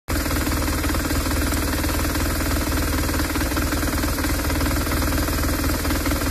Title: BMW R1200 BAD engine noise #motorcycle #shortvideo #bmw #r1200r #r1200 #shorts #short